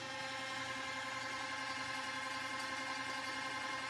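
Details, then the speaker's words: New Epson SureColor P600 photo printer with cold-press bright fine-art paper already loaded: a thin, high mechanical chatter pulsing nearly three times a second before printing; an unusual feed/mechanism noise with no clear cause. "All right, that doesn't sound good. Why does it keep making weird noises?"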